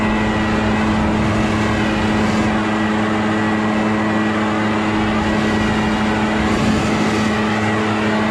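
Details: Echo PB650 backpack blower, barn find unused about 5+ years, running on fresh gas while clearing a roof and gutters: constant even drone with rushing air roar, no surging or misses; pulling strongly and healthy.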